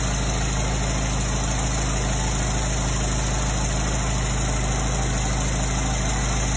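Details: 1924 Ford Model T first start after 22+ years, powertrain reinstalled during restoration: slow, even low thump at idle with steady loudness, no knocks or misses. Old four-cylinder ticking over healthily.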